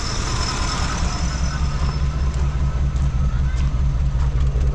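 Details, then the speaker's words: Chevy C30 3500 truck running again after fuel pump confirmed pumping and water pump reconnected: steady low engine rumble at an even pace with no knocks or misses, running smoothly. "Okay, we're running again. The water's pulled down now that the water pump's connected."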